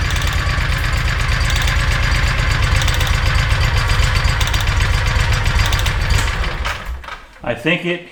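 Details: Kawasaki Mule 3010 after replacing the fuel pump (the OEM pump failed and a replacement fitted in 2013); a fast, even idle on choke with no knocks or stumbles, then shutoff. Confirmed fix; normal idle.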